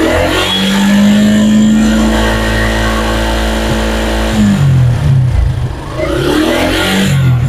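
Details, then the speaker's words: Suzuki Gixxer SF after service and test ride, previously clattering like a trawler with a damaged clutch plate: engine revs up smoothly and settles with a clean, even note, no knocking or clatter; sounds healthy. "এখন আলহামদুলিল্লাহ সাউন্ডটা অনেক সুন্দর হয়েছে।"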